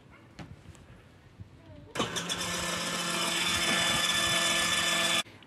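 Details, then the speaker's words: Kids' BMW electric motorcycle drive motor after re-soldered wiring, run on a 7.4 V LiPo battery in place of the stock 6 V battery: clicks on to a smooth, steady high electric whine for about three seconds, then stops cleanly. Motor works normally. "now we'll check if the motor works so i connected the battery here and we need to push this button to see if if the wheel will start turning so i'm pushing this button and we can hear the sound"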